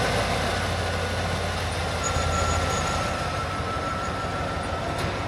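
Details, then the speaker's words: 1989 Ford F150 pickup, 61,000 original miles, sat over 20 years, first start with fuel plumbed to a small gas can: engine runs steadily with an even low drone, no misses or knocks, faint whistle on top; barely smoking, sounds healthy. "She is running. All right, there we go."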